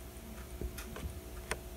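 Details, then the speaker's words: Vintage Apple Macintosh Plus under restoration, floppy drive already broken: faint, irregular light ticks, a few per second, over quiet room hum. The owner heard the ticking is the disk drive; unconfirmed. "i'm not sure if you can hear this but it's making a really faint ticking sound now i heard that this is actually the disc drive"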